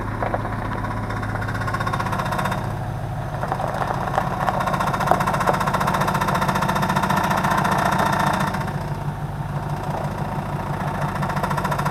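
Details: 2005 Chevrolet Tahoe, new power steering pump gives a rapid knock over idle, swelling as the wheel turns or brake is pressed, louder as fluid warms, gone with throttle; valve and steering box replaced, hydroboost bypassed, unresolved.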